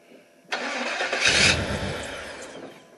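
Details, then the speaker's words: 1977 GMC, first start of the engine, choke set, good oil pressure: starter spins about two seconds, never catches; fuel pump suspected misaligned, no fuel visible. Crank no start, cause unconfirmed. "fuel pump's not working great but all right fuel pump it's not working can't even see gas"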